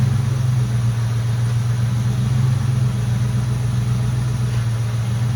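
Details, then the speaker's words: Mustang GT power steering pump (which also feeds the Hydro Boost brakes) after the air bubble was bled out: an even, low idle drone, with the earlier pump whine basically gone. Normal power steering pump. "and so now you'll see when I started up the noise is basically gone"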